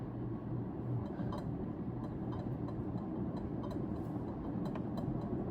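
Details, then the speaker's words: Early-1980s Carroway 52-inch ceiling fan running on high: steady fan whoosh with light, uneven glassy ticks about every half second; a loose part is ticking, source unclear. "Gosh, that that ticking sounds annoying, but you won't hear that in a normal use case."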